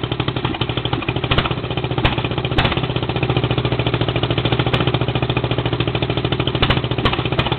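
Even, rapid thumping at a settled idle with no misses or surging; this small mower engine is warm and running properly.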